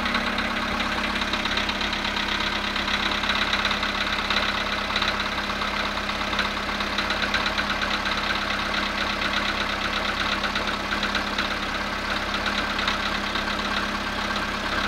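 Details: VW Polo sedan engine at cold start, -2 °C, after sitting 22 hours: steady fast ticking knock over a rough cold idle, even and unchanging; cold-start engine knock, source not pinned down, cause suspected, not confirmed.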